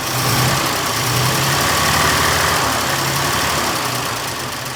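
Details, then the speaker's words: 1926 Oakland antique car, first run in 75 years, on its own fuel system: low, slightly uneven loping idle, about four pulses a second; carburetor mixture still being adjusted, closer but still smoking heavily. "mixture's closer now mixture is closer now still smoking like crazy"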